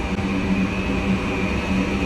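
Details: Goodman furnace after gas regulator valve replacement on a no-heat call, burner lit: steady, even roar with a low hum and faint high tone, no surging or popping; firing normally. Inducer fan bearings were noted as squeaky beforehand.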